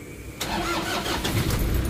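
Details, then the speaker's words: Manual-transmission diesel with a low-power, black-smoke and hard-starting complaint: a brief few cranks, then it catches quickly and settles into an even clatter. This is a normal start rather than true hard starting like that caused by failed heater plugs. "So meron siyang konting ano, meron siyang konting ilang cranking muna bago siya umandar. Pero hindi yung hard starting talaga na matagal."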